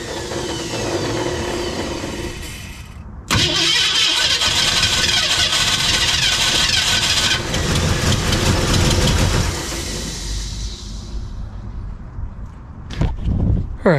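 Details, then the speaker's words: 1965 Ford Mustang, originally a C-code 289 converted to a 302, after starter and solenoid replacement: loud steady cranking with no firing. Owner suspects a bad, gas-leaking carburetor, not confirmed. "I think the problem here is it's wanting to kick over but carb is just done it's bad news"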